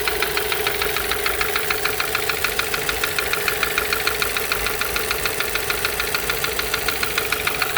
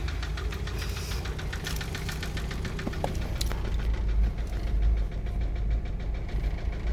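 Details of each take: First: MK5 VW Jetta GLI FSI that sat 3 years, running on a replacement cylinder head after a seized cam journal bearing: quick, even ticking over idle comes from the not fully bolted rocker cover; no bottom-end knock, otherwise only injector noise. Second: MK5 VW Jetta GLI FSI after sitting three years, replacement cylinder head fitted, rocker cover not fully bolted, no coolant system: steady idle with light fast injector tick, no bottom-end knock; engine healthy.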